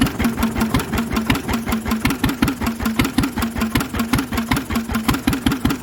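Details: Lister engine on its first start in 40 years, on a little choke: slow, even single-cylinder thump about 2.5 beats a second with a loud exhaust and no big-end knock; steady, nice running.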